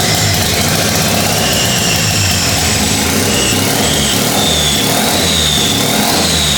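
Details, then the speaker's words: 13B turbo rotary drift build, freshly started after timing adjustments, no coolant: uneven hunting revs with a rising turbo whistle. Runs rough and untuned, with smoke. "it sounds like it's running funky it's the timing is doing whatever it wants at the moment"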